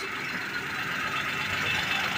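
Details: Car engine idling after oil pump repair, restarted after a failed first start with radiator water and oil refilled: smooth even hum with no ticking or tapping, oil light off, engine running smoothly, oil pump normal.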